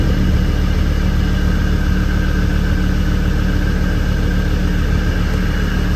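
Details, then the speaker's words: Land Rover Defender five-cylinder diesel, after fixing a no-start traced to a faulty isolator not giving a good ground: steady, even idle clatter at about three and a half beats a second with no misses or knocks. "I don't believe it after all that hassle appears to be that isolator which is Diggy not giving it a good ground"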